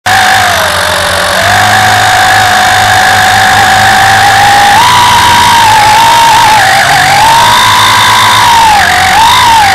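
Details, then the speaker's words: WLToys V262 Cyclone quadcopter in flight with a loud piercing whine that swoops up and down with throttle; one brushed motor is failing and needs replacing. "well I don't know if you hear it or not but I got a motor going bad on me"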